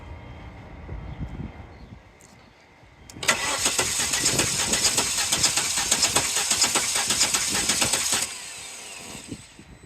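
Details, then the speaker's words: Volvo S70 petrol engine cranking about five seconds without firing during a compression test on a misfiring car; even rhythm, compression about 165–173, good across all cylinders. The misfire was traced to a dead spark plug. "right that's good it's got up to like a hundred and 65 turns out compression was good all the way across the board"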